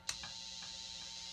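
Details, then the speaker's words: Three-string cigar box guitar single-coil pickup under test: steady buzzing hum, hiss and faint clicks from interference by a nearby soldering iron and overhead fluorescent lights, showing the pickup works. "so it's going to be noisy now because i have my um soldering iron here so check this out and plus i have fluorescent lights overhead so it's noisy listen to this"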